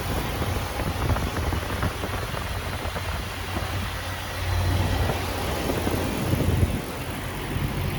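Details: Jeep Wrangler TJ 4.0 inline-six just after alternator replacement and belt retensioning: low, even idle with no knocks, squeals or belt chirp; idling normally.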